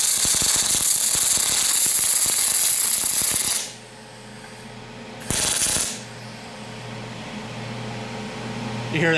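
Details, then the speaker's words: Aluminum MIG welding with PrimeWeld MIG 285 and spool gun on a cold part, heat set slightly above chart: harsh irregular crackling and popping instead of smooth buzz, wire burning back to tip; spatter from wire feed too slow. "spattering pretty bad I needed I should have turned the wire up just a little bit too it was almost burning back into the tip so I'll do that now"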